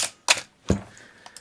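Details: Canon AE-1 Program 35mm film SLR with 50mm FD f/1.8 lens stopped down, shutter at 1/4 second: a sharp opening click, then a closing click about four tenths of a second later. Normal slow shutter timing.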